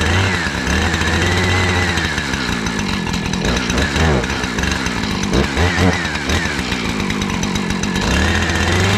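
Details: Two-stroke chainsaw after replacing rotted fuel line, oiler still faulty: strong steady buzz with clean blips up and down; idles and revs evenly, running properly.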